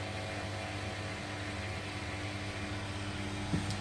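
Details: Washing machine drain pump gives a low, steady hum with water flowing and no grinding or rattle, emptying the drum before final spin on a temporary plumbing setup; normal drain pump operation.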